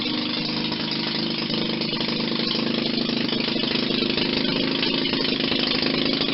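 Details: 1940 Maytag model 72 twin-cylinder air-cooled gas engine, rebuilt with new rings after being tight: steady even beat, about 220 firing pulses a minute, no knocks or misses; runs healthy.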